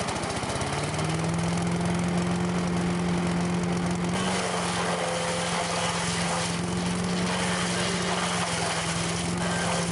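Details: Late-1980s Sears Craftsman 9HP chipper/shredder, about 30 years old, running. A steady, even single-cylinder drone at constant pitch with no stumbling or knocking; still running strong.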